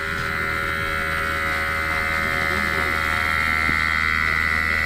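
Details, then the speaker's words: Electric-vehicle air-conditioning compressor, rebuilt with its inverter swapped over, bench-tested on nitrogen before refitting: steady high electric whine over a soft even hum, no knocks or rattles, pressure rising to 5 bar; normal compressor operation. "Проверяем производительность, запускаем компрессор. Компрессор запустился, работает хорошо."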